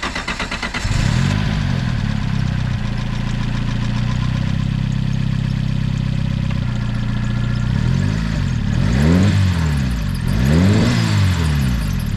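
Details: Nissan 300ZX after clean-up and coolant top-off: short crank, then it catches and settles into an even idle, followed by three throttle blips that rise and fall cleanly; normal idle, then left to warm up.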